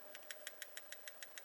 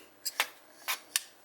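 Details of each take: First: Compression lock folding knife build: crisp metal ticks as the locked blade rattles, because the thin, cut-down lock flexes up and down; blade lock rock rattle, later cured by reworking. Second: Compression lock folding knife after reworking the lock: four crisp, bright metallic clicks as the blade snaps open and shut, no rattle, solid lockup with no blade play.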